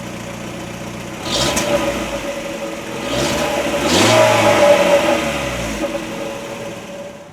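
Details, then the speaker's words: 2016 LADA Granta 1.6 8-valve (11186, 87 hp, 5-speed manual, front-wheel drive), engine bay hot after a long drive: quick crank, clean catch, brief rev flare, then steady even idle with no ticking or misfire. "Now, I should do a start-up again, but with the exterior and engine bay this time. This car had a long journey to my house, so the engine bay is actually quite hot."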